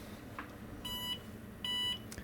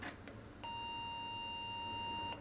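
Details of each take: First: IBM PS/1 2133 486 powered on with a socket 4 machine's power supply under test: two short clear high-pitched beeps over quiet fan hum; normal POST, though the supply later shows coil noise at switch-off. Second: IBM PS/1 2133 486 system with a second 5x86 CPU (rated 133 MHz) pushed faster in an overclock: one long steady beep of nearly two seconds, nothing on screen; failed POST from overclock.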